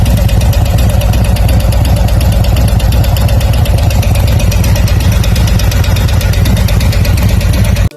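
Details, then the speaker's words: Harley-Davidson Milwaukee-Eight V-twin at idle, on first start or at a stoplight: light, quick tick over a low, lumpy exhaust beat, attributed to the hydraulic lifters. "Have you ever heard that odd ticking noise coming from your motor when you first start the bike or you're at a stoplight and you wondered if your engine was about to just blow up or quit on you?"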